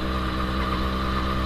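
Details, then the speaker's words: Yamaha RX100 single-cylinder two-stroke, hot after long highway ride toward Delhi (~400 km day), idling: even idle with steady thin whine on top; rider says this noise appears when engine gets hot, source not found, stopped at workshop for safety. "आवाज किस चीज की है आगे चल के तो gas हम रुक गए थे अभी यहां पे अफसर ऑटो सर्विस जस्ट बिकॉज़ आपको पता है ना की इंजन में से अभी आवाज आने लगी थी तो वो आवाज मैंने आपको जैसे की पहले बताया था की वो थी हमारी जब गाड़ी हिट हो जाति है तब वो साउंड आता है"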